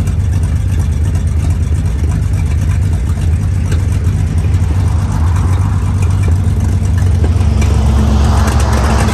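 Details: 1947/1949 International 1-ton flatbed truck, sat about 50–53 years, revived, revved before driving off in second gear: deep steady low rumble swelling as revs climb, pulling smoothly without knocks; normal.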